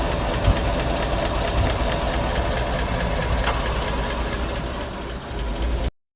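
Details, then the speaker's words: 2017 Chevrolet Silverado 5.3, 25,000 km, AFM deleted, P0324 knock sensor code; sharp regular ticking three to four a second at idle from number 4 exhaust, pushrod bent again and about 1/16 inch short so the lifter can't take up lash. "there's a replacement push rod for comparison it's about 16th of an inch shorter that's why it's ticking because the lifter can't take up all the Lash"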